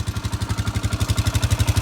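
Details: Polaris Ranger 500 4x4 at first start after a top-end rebuild (head, cylinder, piston), with no coolant in it, burning oil off the exhaust and the carburetor leaking: even, steady thumping pulses with no clatter, no smoke seen. Normal idle.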